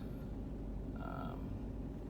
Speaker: so for instance the engine coolant is 57 degrees it's actually pretty cold out today engines running a little high